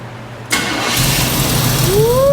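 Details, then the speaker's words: Fire-damaged 1984 Chevy C10 with carburetor starting after ignition module replacement restored spark; starter cranks briefly, engine catches cleanly and settles to even idle, no misfire; normal start, to be warmed up. "Oh yeah. There it is. So it's on. We're gonna let it warm up a little bit and see if it responds with the carburetor, but we got spark now."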